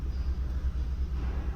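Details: 2015 Kia Cerato with constant shaking at idle: low rumble with an uneven, stumbling pulse every few beats, one cylinder dropping out; scan tool live data points to cylinder 4 misfire, later traced to a faulty injector.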